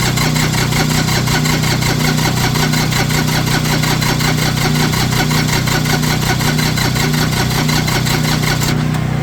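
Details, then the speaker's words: Tractor diesel with bad glow plugs, started using a hair dryer blowing into the intake as temporary fix: even, steady diesel clatter with firm regular beat, no misses; normal idle. "I love that trick it works y'all it works you hear it running it works"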